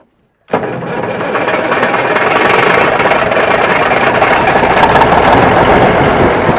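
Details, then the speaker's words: Wrecked Peterbilt 359 diesel after priming with fuel and starting fluid: after a pause it catches at once and settles into a steady, even diesel idle with oil pressure. The ticking heard is the fan clutch rattling. "Oh, it's idling. Okay."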